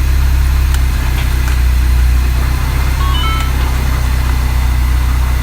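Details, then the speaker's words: Mini Cooper S idling just after an oil change (regular oil plus Rislone): steady, even low idle hum with no knocks, misses or squeals, no warning lights; normal idle. "We'll be upgrading those HIDs, but no lights, no nothing. Just let it sit and idle for a little bit."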